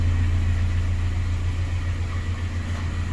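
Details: 2007 Honda Civic Si FG2 with a K20/K24 swap (TSX bottom end, Hondata base tune, RDX 410 injectors, J35 throttle body, Skunk2 header, Full Race exhaust, RSX oil pump): smooth, even low idle rumble with a steady beat and no knocks or misses. Healthy idle.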